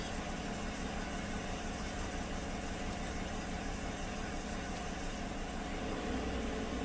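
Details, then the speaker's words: 2016 GM 5.3 V8 truck, warm, fresh plugs, coil and wire swapped, AFM tuned out, after bank-2 lifter replacement: uneven loping idle, about three stumbles a second, still misfiring on cylinder 6; owner suspected the injector, later found a stuck exhaust lifter. "ill counting misfires on cylinder six so I suspect the injector is poorly spraying or improperly spraying"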